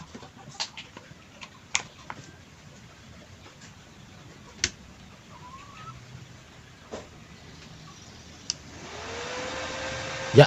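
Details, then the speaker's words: Blackfoot 350W/120A welder after repair of total failure from internal explosion, first power-on test: a few faint clicks then a soft steady whoosh as the cooling fan spins up, LED indicator on; normal fan operation. "oke teman-teman ya jos kipas sudah muutar ya kedengarannya untuk lampu LED indikator nyala"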